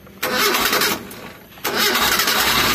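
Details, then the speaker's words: Mitsubishi Colt SS engine after teardown for oil and radiator-water consumption; quick crank, catches immediately without throttle and settles into a steady, even run; normal start. "kemarin sore naik nyala langsung tanpa kendala Alhamdulillah ya tanpa injak gas tanpa apa-apa"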